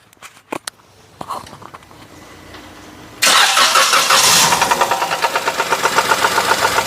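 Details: Perodua Axia, towed in after the engine and oil lights came on and the engine suddenly ran rough; oil sump previously replaced elsewhere. On starting, a harsh, uneven rattle of roughly four knocks a second. Connecting rod bearing or piston suspected, main bearings to be checked.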